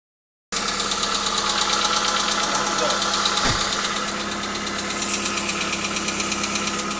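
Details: Hyundai Accent, running: sharp, regular tapping about three knocks a second over a steady idle; engine knock of unknown source.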